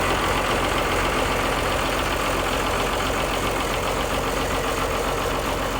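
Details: 1955 White (rebadged Oliver 1955) diesel tractor just after jump-start from a ute, which cured slow cranking caused by poor connections: steady, even diesel clatter at constant speed, no misses or knocks; running healthily.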